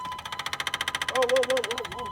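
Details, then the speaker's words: 6.5 diesel truck after draining the old fuel and changing the filter: the new frame-rail lift pump gives rapid, even electric ticking, about fifteen per second, while priming, same as the replaced pump; lift pump ticking, cause unresolved. "we changed the lift pump on the frame rail cuz we thought it was ticking weird but we put this new one in and this one's still ticking"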